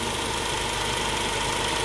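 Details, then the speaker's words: 2004 Chrysler Pacifica at idle after its original whirring alternator was replaced: smooth, even idle with a steady hiss and no whirring or whine; charging side now quiet. "Definitely not making that whirring noise that it was before."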